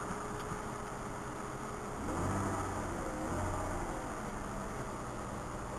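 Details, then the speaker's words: Mazda 626 with 176,781 miles, just after a cold start and low on fuel: quiet steady idle, a gentle rev rising and falling, then back to an even idle; normal free rev. "so uh yeah take a listen to the engine here Mazda 626 just give her a little rev here"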